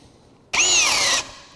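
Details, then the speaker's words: Cordless drill in high speed with a larger bit, second hand on the drill, boring a hole: high whine sags under load as the drill bogs without enough power to finish; switched to low speed to complete the hole. "Okay, and you notice in high speed, it didn't have enough power to finish the drive."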